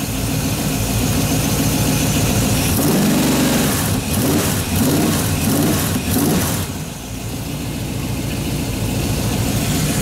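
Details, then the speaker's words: Freshly built 350 Chevy V8 with Holley after about 1.5 hours break-in running, no burned plug wires, gaskets or exhaust issues; even idle with a couple of blips, settling smooth with no ticks or knocks — normal idle. "now probably asked with her running about an hour and a half now didn't burn up the plug wires his time I mean no stream he Gasca Stadium are burned out as a exhaust if she is just running happy"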